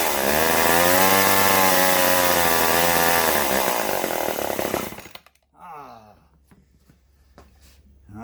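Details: Vintage Poulan S25DAV (Super 25) two-stroke chainsaw after fuel line replacement, running without top cover or air filter and shedding lots of oil: steady, high, even buzz for about five seconds, then dies away. It runs normally.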